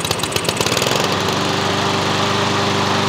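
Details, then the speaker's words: Troy-Bilt TB130 mower with a Honda GCV160 engine converted to manual choke, started with the choke lever set wide open despite a slightly tight cable; a few uneven pops, then steady even drone, normal running. "yeah wide open and that's where you leave it yep and she's a runner"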